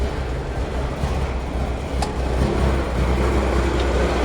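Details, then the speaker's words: 1979 Kenworth W900A diesel just after start in the shop, with the air tanks built up first. A deep, steady rumble with an even low beat and no knocks or misses; a healthy idle. "Alright, I better open the door so I don't get smoked out. Oh yeah, sounds good. Old Smokey."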